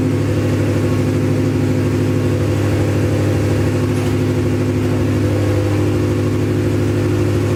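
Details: Acura Integra first start after crank-no-start trouble: catches and runs steadily with a firm low drone and a few revs, smooth and even; run briefly since no coolant in system.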